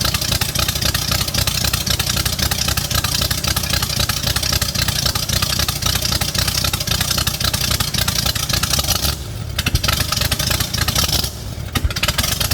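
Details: First start of a 5-liter V8 swapped into an MG in place of the 1.8-liter, after adding fuel: loud, throaty, uneven lumpy idle with no steady beat. Rough idle; owner suspects untuned timing or fuel starvation.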